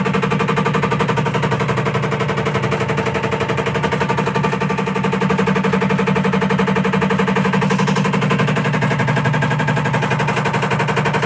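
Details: IFB top-load washing machine: fast, very regular clatter, a couple of hits per second, over the machine's hum throughout; loud rattling noise of unknown cause.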